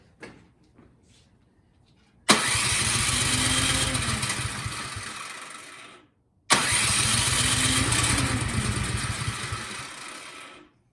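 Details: Cub Cadet 528 SWE snowblower, fresh gas, choke on, primed: two cranking bursts of about four seconds, steady chugging churn with faint catches, never runs; carburetor problem suspected, carb to be removed and cleaned.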